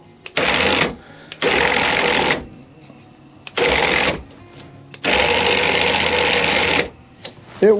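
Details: WARN 2000 winch, free unit being wired to a remote receiver and solenoid, motor connected directly to battery positive and negative; four bursts of steady high whir, spinning up and cutting off cleanly; runs normally.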